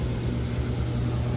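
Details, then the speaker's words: Central AC outdoor unit after capacitor and fuse replacement following a power surge that stopped it. Even low-pitched hum and airflow rush, smooth and unbroken; compressor and fan running normally, house cooling again. "and as you can hear, it's working. It's running literally."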